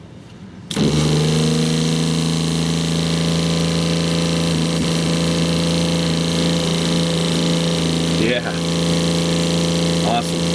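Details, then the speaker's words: 2001 American Tradition RV fresh-water pump, previously cutting in and out, after unplugging and replugging its connector: steady, even electric drone with constant low pitch, no surging or stutter. Normal pump operation. "All right. Let go. That is night and day different."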